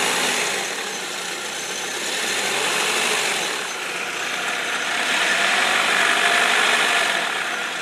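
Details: 2004 Saab 9-3 Aero petrol engine at light throttle just above idle: fast, fairly steady rattling tick about three per second from the passenger-side serpentine belt area; owner suspects the belt tensioner, an idler pulley or the timing belt tensioner.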